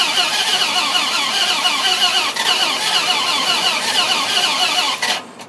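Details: 2006 Dodge Ram SRT-10, 45k, one month after purchase, won't start. Starter whirs steadily at about three turns a second for five seconds, but the engine never fires or catches. Crank, no start.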